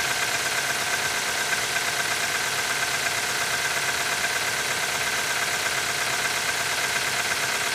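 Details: QG18DE engine cold start at -15 °C idling with a regular tapping, roughly a hundred a minute, over a hissy, even engine note; knocking while cold.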